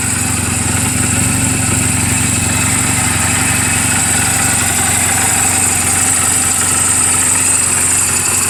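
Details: 2007 Honda Rebel 250 in neutral, oil just changed and valve clearances just adjusted; steady, even idle with a quick, regular thump and no knock or miss: normal idle.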